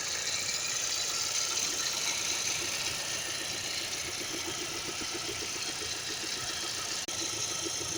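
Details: Hyundai Creta at idle: soft, fairly regular ticking over a steady hiss, roughly two beats a second; engine noise, cause unclear.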